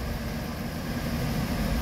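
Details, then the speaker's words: After replacing a water pump with failed bearings plus loose tensioner and idler pulleys, old belt kept and coolant refilled: low, even idle rumble with no ticks, knocks or squeal; idling much quieter and smoother now. "it's idling so much quieter and smoother now"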